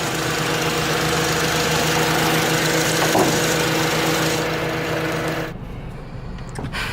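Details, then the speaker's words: Turbo Honda Civic Si at idle: steady mid-pitch whine of constant pitch over smooth idle; louder with fans off, owner suspects AC compressor/fan, unconfirmed; whine at idle. "if I remove it it's still there but it's it's not as loud as it is if I take the fans off take the fans off louder so I'm freaking has something to do with that freaking fan that that compressor"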